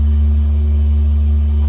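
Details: Organ pedal pipe after its buzz was fixed by moving the stopper and retuning: clean, steady low note with no buzz or rattle.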